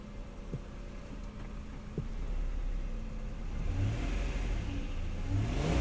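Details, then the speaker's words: 1992 Acura NSX, cold engine with idle dropping slightly: smooth low idle, then a gentle light rev rises evenly and falls back cleanly; normal cold-engine rev. "and I don't like to rev it when the engines cold but I'll do it lightly but nothing too aggressive"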